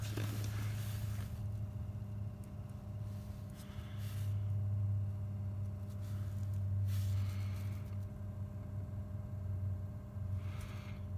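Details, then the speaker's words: BMW 3 Series heater blower motor after removal and bearing repair, previously squeaking and rattling, run on speed one: steady low even hum with faint constant tones, no squeal or rattle; normal blower on low speed. "don't sound too bad it's nice and quiet so I've got a hope that Greece is the the loop has gotten to the bearings and is now spinning up nicely"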